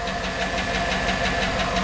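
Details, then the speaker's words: 2008 Chevrolet Tahoe 5.3 L AFM/DOD V8, 187,000 miles, idling: quick even ticking about six or seven a second; lifters checked fine, low oil pressure dash message, fixed by replacing the oil pickup tube O-ring. "one reason why i think it might be the oil pickup tube o-ring is that we do get a low oil pressure message on the dash"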